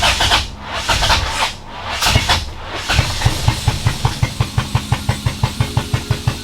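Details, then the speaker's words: B20-swapped EK Honda Civic: engine coughs and stumbles, then the starter churns without catching. A severe misfire makes it hard to start, and it backfired and shut off; owner suspects the IACV, spark unchecked. "Still sounds like it's misfiring really bad. And then it backfired and shut itself off."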